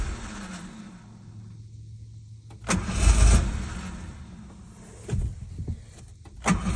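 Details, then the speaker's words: Abandoned 1986 Ford Ranger XLT Super Cab 4x4, sat 16 years, fuel leak patched: starter churns in short bursts with gaps, engine never settles; ignition switch cutting out because its plug was coming out on the back side, later fixed. "apparently the ignition screwed up to let it back it shuts off the ignition so but it runs Ford Ranger all right got the ignition switch problem taken care of just the plug was coming out on the back side"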